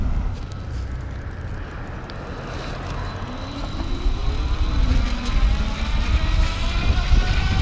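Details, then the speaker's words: Sun Seeker Eco Tad SX electric trike, 48 V, 500 W internally geared hub motor, riding near 20 mph: thin whine rising in pitch over wind rush, normal motor whine at higher amperage. "And I can hear the motor whining a little bit more. I think it's just cuz it's operating at that higher amperage."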